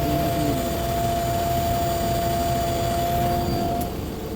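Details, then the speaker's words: Car idling with AC/heater on and radiator fan spinning continuously, not stopping; steady whirring hum with thin constant whine from the fan area; radiator fan noisy, later replaced. "Tuloy-tuloy yung? Yung ikot ng pan. Oo. Tuloy-tuloy. Pero may ingay."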